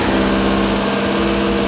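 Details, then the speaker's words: Mazda Miata 30-year-old rebuilt engine, run briefly with timing cover off after new timing component kit fitted: steady, even idle with smooth hum, no tick or knock; earlier timing-cover noise is gone after the repair. "that noise is gone way that that ran that's what we want"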